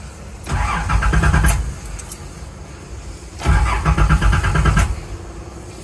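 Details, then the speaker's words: Nissan Z31 just after a fuel filter change, clutch in, fuel pump heard priming, suspected wiring issues: two short, sluggish, uneven cranking bursts with no catch. Slow crank from a weak battery. "No. Come on. Okay. The battery is dead. Battery's definitely weak."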